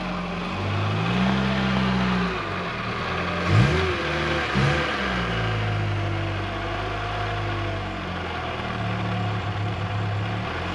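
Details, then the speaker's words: VW Golf Mk3 running after its in-tank fuel pump motor was replaced: steady idle, revs rising and falling smoothly several times with no misfire or stumble; runs normally but still smokes a bit. "the golf is back and running still has a habit of smoking though that's not too bad"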